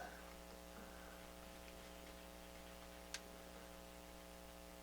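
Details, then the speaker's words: Yamaha RX-500U stereo receiver: a quiet hum, then a sharp intermittent crackle or click from a scratchy volume control at the very bottom of its rotation. A poor connection in the volume pot is suspected. "you can hear it a little bit a little scratchiness right at the very bottom of the rotation"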